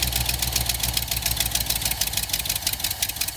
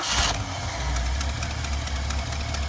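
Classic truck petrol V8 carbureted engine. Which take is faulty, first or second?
first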